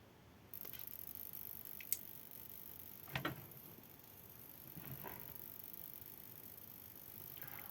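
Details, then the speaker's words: Gama CP14 Titanium hair straightener, opened, powered on: faint steady high-pitched electrical whine/buzz from one plate, traced to a shorted ionizer module. "तो, ऐसा लग रहा है कि आवाज़ इस प्लेट से आ रही है, इसलिए मुझे यहाँ कुछ सुनाई नहीं दे रहा है, लेकिन समस्या इस प्लेट में है।"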